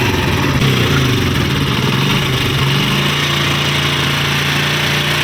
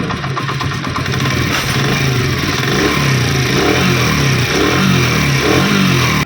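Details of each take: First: Honda CD70 single-cylinder motorcycle engine at idle before repair, with a busy, rattly mechanical clatter over the exhaust beat; abnormal engine noise. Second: Honda CD 70 motorcycle engine after a complete refit, idling and revved in smooth swells with no knocking or rattling; the earlier engine noise is gone and it sounds healthy.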